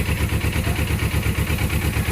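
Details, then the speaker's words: Suzuki GS500 whose starter had been slipping past the ring gear with a strange engine noise: after the fix it gives an even, steady idle with regular low pulses and no ticking or knocking, the noise gone. Normal idle. "vamos ver se deu bom Opa Eita que acabou o barulho acabou o barulho ó"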